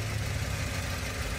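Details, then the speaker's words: Toyota Avanza after engine teardown for rough running from a worn, rattly camshaft, set up as well as possible without replacing cam or head; idle after hill-climb test drive, steady low even, no tapping or knocking; smooth, normal idle. "masih halus ya nih Walaupun walaupun noken asnya itu koclak koclak-koclak gitu kotkotk kek gitu"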